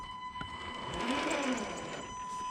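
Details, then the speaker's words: Traxxas TRX4 crawler on the stock ESC at low throttle: a steady high buzz near 1 kHz over soft gear whir from the low PWM frequency, before switching to a Hobbywing 1080 ESC set to 16 kHz. "just always got that constant little hum going on it just when you give it just a little bit of throttle so as you can tell it was quite noisy and it just gets annoying after a while"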